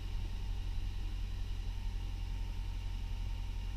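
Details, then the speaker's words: 2000 Honda Prelude, 108,500 miles, cold start after three weeks sitting, new Injen intake, fresh oil and NGK plugs: smooth, even low rumble with no knocks, ticks or misses; healthy steady idle. "start it up honestly starts like it was never even turned off"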